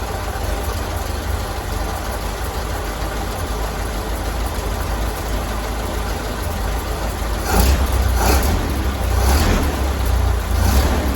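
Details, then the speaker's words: 1932 Ford Model B, restarted after cleaning the spark plugs, which the owner believes caused the earlier failure on a drive. It starts right up into a steady, even low chug with no misses or knocks, with a few brief throttle blips. "I think she was just telling me hey I find myself good started right up idling good I think we're okay"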